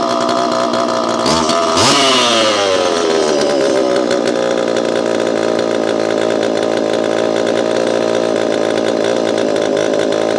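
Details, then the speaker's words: Repaired Homelite Super EZ chainsaw, boxed about two years after transit damage, on its first test run after reassembly. A sharp rev, then an even, high buzzing two-stroke run with crisp, instantaneous throttle response and "a lot of zing": normal running. "Okay, not bad. This thing has a lot of zing to it, and I know you know what I mean. Zing. It's throttle response is instantaneous."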